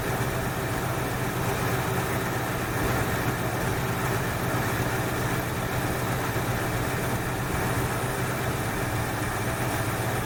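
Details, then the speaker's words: 1968 Ford Fairlane carbureted V8 after fixing a carb flooding problem, air cleaner off, idle slightly high: fairly steady, low rumble with no stumbling or loping; running evenly and much better than before. "well that sounds better this is a whole lot better all right i'm just a pad high right about there sounds good"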